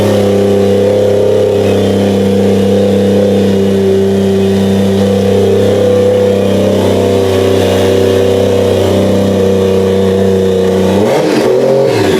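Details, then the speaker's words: Toyota 1JZ engine for a 350z swap, running on a tire in a cherry picker after first start on a new ECU; steady, even idle with a smooth constant hum, no knocks or ticks; normal running. "well there you guys have it the Jay Z runs on its own just hanging out on a tire in a cherry picker she's alive"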